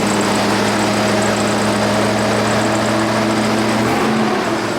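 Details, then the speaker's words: 1999 Chevrolet Silverado Z71, 5.3L V8, at first start after fitting long-tube headers: a loud, steady, deep rumbling idle with an even beat and no knocks or misses. It sounds healthy; the owner notes a possible header leak. "oh she sounds healthy christmas time in here every light's on that sounds so good"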